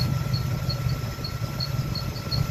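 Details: LT1 engine at idle, noise starting 2 days after a new fan clutch was installed. A sharp chirping squeak repeats about three times a second over a thin steady squeal. It stops when the fan clutch engages and returns when it disengages; found to be a bad fan clutch.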